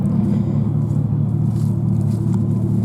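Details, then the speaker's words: 2001 GMC Sierra at idle: deep, loud, rough rumble with an uneven puffing pulse from a rusted-through muffler with a sizeable hole; exhaust leak from holed muffler. "the there is a little bit a hole in the month muffler when I say a little bit I mean quite a bit"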